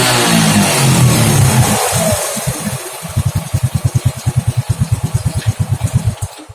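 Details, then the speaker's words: Honda Grand motorcycle with a used Supra Fit CDI fitted after a pulser replacement, revving high cleanly then dropping to a steady, even idle with ignition firing properly; normal running, previously hard starting, stuttering with black spark plug. "Oke, kalau ini normal enak banget. Dari atas sampai bawah enak banget mau jerit."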